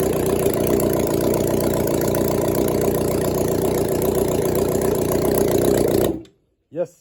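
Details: 1996 Suzuki GSX600F after an engine swap, carbs hooked up to the tank, restarted after a short run. Smooth, even four-cylinder burble holds steady at idle about six seconds, then shuts off cleanly: runs well.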